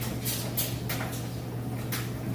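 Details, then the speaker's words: Kenmore electric dryer running with a full load of clothes after 22-point inspection: low steady hum with clothes softly tumbling evenly, no squeal, scrape or thump; drum runs smoothly and healthy. "You can hear it sounds great. Nice smooth operation."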